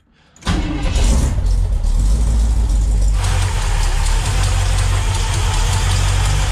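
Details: Twin Eaton 90 supercharged Sunbird (10 lb boost, needs more fuel) refired after dying from loading up, base timing reduced to about 5 degrees (about 20 total): catches after short crank, settles into steady, slightly lumpy run, no misses or knocks.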